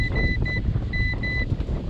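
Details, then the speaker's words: Garmin Striker 7sv fish finder on a Lowe 1436 jon boat, which also has power-disconnect issues. Short high-pitched alarm beeps in uneven bursts: "transducer is disconnected, sonar turned off". Owner suspects the connector or wiring, possibly wet. "transducer is disconnected the SONA sonar has been turned off so that right there guys is the biggest problem that I'm having right here"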